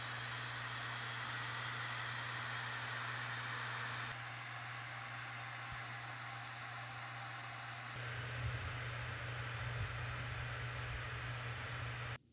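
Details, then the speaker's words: Framework laptop mainboard in a Cooler Master case: quiet fan hiss with a thin steady high-pitched whistle mostly at idle fan speeds, improving as fans ramp up; fan whistle, cause unconfirmed. "Cooler Master case, though, adds a little something extra in the form of a high-pitched whistle. The worst part of it is that the whistle is mostly present at idle speeds and seems to get better when the fans ramp up."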